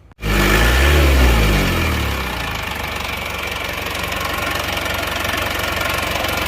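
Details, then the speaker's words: Diesel engine with a previously broken crankshaft, after the injection pump was serviced to standard: harsh clatter knocks at about four per second over the idle; smoother than before but still rough, later fixed by replacing the timing gears with original parts. "nah mesinnya lebih halus tapi masih tetap kasar teman-teman"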